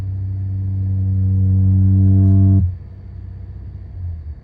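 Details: 2015 Honda Accord V6 automatic while driving: deep steady drone with rising low hum as speed builds, cutting off sharply when throttle lifts; source unknown. Droning noise.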